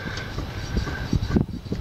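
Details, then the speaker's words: Ford F150 twin I-beam front end: dull low clunks, about four in two seconds, as the front wheel is rocked, from worn kingpin bushings; the truck shimmies and shakes on bumpy roads. "You can hear it clunk. Because we've got some shimmying in the front."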